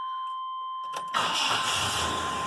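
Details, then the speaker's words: OBS Chevy truck, hot restart after repair of intake fuel leak that flooded engine and drained fuel pressure: warning chime, short crank, fires at once into even idle; no long cranking. "fires right up"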